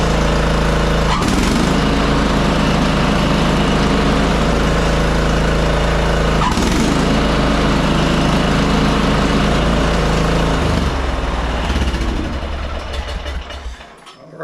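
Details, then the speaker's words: Craftsman R1000 30-inch rear-engine riding mower after installing new blade brake assembly 983-05034: even, steady single-cylinder drone with no knocks, then switched off and it dies away cleanly with no blade coasting; normal run and shutdown. "so now you can notice when we turn it off, you don't hear the blade still spinning or anything like that."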